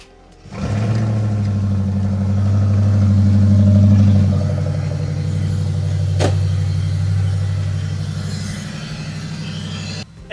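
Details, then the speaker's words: Camaro jump-started with a Novsight 6000A jump pack in winter. It cranks a bit long before catching, probably because the fuel pump was not primed, then settles into a steady, low rumble. "probably would have helped if I primed the fuel pump. That is completely on me."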